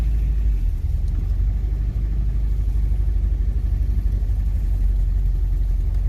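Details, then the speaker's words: Honda Prelude with misfire, just warming up, possibly a plug wire still misfiring: steady low rumble after a throttle blip, revs hunting up and down instead of settling; idle surge. "i'm expecting uh an idle surge very soon gonna give it some gas yeah there's the idle surge"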